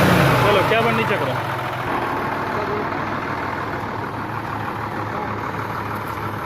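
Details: Hino truck Euro diesel after a crankshaft oil seal refit and coolant refill: a steady, even idle with a smooth low rumble and no knocks or misses; the engine runs cleanly.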